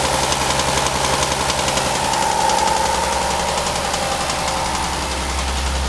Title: VR6 ROD KNOCK